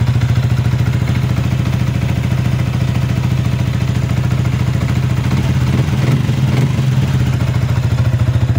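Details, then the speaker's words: Sniper 155 VVA single-cylinder after cylinder head parts and the timing chain were replaced, at idle: steady, even idle with a soft regular beat and no ticking from the top end; the earlier ticking is gone. "Hindi na siya maingay mga Diaz. Wala na yung lagitik."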